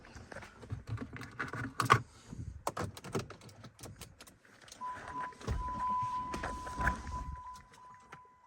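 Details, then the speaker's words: Dodge Charger 5.7 HEMI after installing an AEM 50-1000 high-flow fuel pump, key-on before start: clicks and handling noise, then a faint steady hum and fluid swooshing; the new pump primes normally. "But when I turn the key on, I do hear the fluid going and I hear water swooshing, so."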